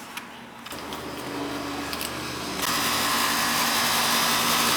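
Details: Outdoor AC unit after its bad capacitor was dealt with: it hums to life and fires right up, then settles into a steady, even rush of fan air and compressor hum. Normal startup and running.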